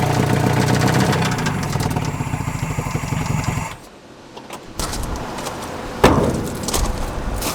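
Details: Neglected Nissan Frontier four-cylinder on a freezing day with oil added to the cylinders: ragged uneven firing for a few seconds then stumbles and dies, heavy smoke; really bad low compression from shot rings or worn cylinder walls.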